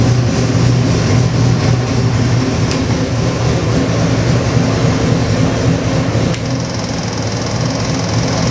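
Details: Custom Ford 347 stroker, 302-based, with Holley Sniper EFI, running on the dyno before going into an '88 Toyota pickup: a deep, smooth V8 rumble holding steady with a slight dip late on, no knocks or ticks. Normal running.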